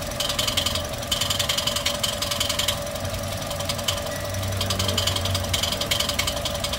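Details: Toyota 1NR-FE engine at idle with a noise complaint: fast, somewhat uneven light ticking over a steady idle, like noisy hydraulic lifters, possibly poor oil supply. Cause unconfirmed; engine being taken apart.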